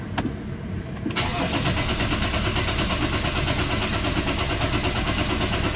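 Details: Ford Ranger common-rail diesel after bleeding the filter, pump, common rail and injectors: short crank, then it catches and holds a steady clattery idle with an even beat, no stumbling; fuel delivery restored.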